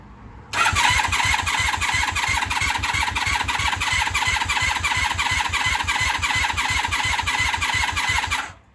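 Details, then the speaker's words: 1996 Honda Magna 750 VF750CD after coolant refill, battery charge uncertain: starter chugs steadily about eight seconds, never fires; cranks but no start, owner suspects fuel delivery (possibly faulty valve) since it fires on starting fluid. "I think it's a fuel delivery issue. Because if you throw some starting fluid in there, it'll fire."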